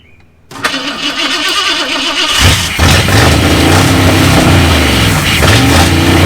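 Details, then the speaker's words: V8 Mercury Comet after 31 years sitting, radiator filled and good oil pressure verified: starter catches in half a second, loud lumpy V8 settles into strong idle with throttle blips; runs healthy. "way up hey this thing runs cool shoot yeah good"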